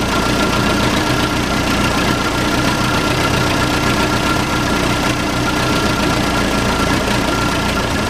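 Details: Case 580C backhoe diesel, unrun for 10 years, started on ether with no coolant: loud, steady diesel clatter at even idle, no misses or surging; old engine running smoothly, normal idle.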